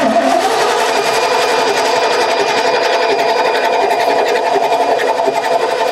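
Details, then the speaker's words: 1989 Ford F150, 61,000 miles, sat over 20 years: starter solenoid bridged after bad solenoid found; quick even starter whirring turns engine over without catching. Cranks but won't start; owner suspects old fuel. "Oh, come on, darling. She is so close to starting. So close."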